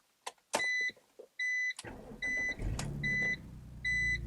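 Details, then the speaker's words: 2003 BMW Z4 E85 after repairs for check engine light and rough idle: warning chime as the engine cranks, catches and settles into a steady, even idle; check engine light off, about 90% of the idle issue fixed, slight roughness remains. "oh yeah idle is good no more check engine light uh still a little something but I think that fixed 90% of the uh idle issues"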